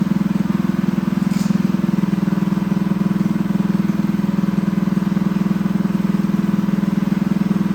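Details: Newly built Honda GX200 clone engine on a bench stand, choke on: fast even thumping about three to four pulses a second with a thin strained note; lean running from a clogged carb jet, needs jetting, jet to be bumped up.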